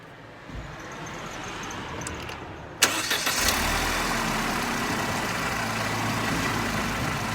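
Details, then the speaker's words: Mercedes SLK R170 with the bonnet open, recorded at the front of the exhaust after the failed central mount was found. The engine starts after a short crank and settles into a smooth, even idle with no puffing or ticking. No exhaust leak is heard up front. "system certainly can't hear anything unusual here"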